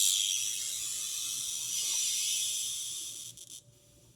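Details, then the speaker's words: Only steady hiss, no stations or Morse, from a home-built Solder Smoke 40m direct conversion receiver on a half-wave dipole (SWR about 1.7–1.8); it oscillates at high volume; front end dead, traced to a failed JFET. "But yeah, I'm not hearing anything."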